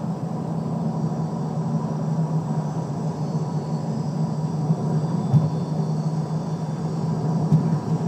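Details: Lexus LS430: steady low drone with a thin constant whine at even pitch, from the drivetrain, source unknown.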